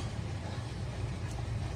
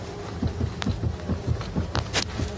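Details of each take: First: Steering check after the electric power-steering coupling was removed, cleaned, greased and refitted with the engine out: wheel swung back and forth slowly and quickly gives only a soft steady low rumble, no clunks or knocks; steering knock fixed. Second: Irregular dull low thumps, roughly two a second, as the steering wheel is worked; a dry electric power steering telescopic shaft coupling knocking in the column, fixed by removing the motor, cleaning and greasing the coupling, silent afterwards.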